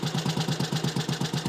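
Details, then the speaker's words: Small classic Tiger Cub single, cold, still bedding in after work. Steady, regular thump at about seven beats a second with no clatter; ticks over pretty well; normal cold idle. "just a little bit more running in Bedding in but that's a cold engine it ticks over pretty well really"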